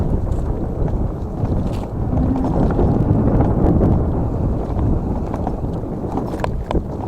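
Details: GoGoBest GF700 dual-motor e-bike (two 500 W motors) off-road in mode 3 at about 30 km/h: irregular light clacking over wind rush and trail rumble as the loose mudguards slap against the tyres.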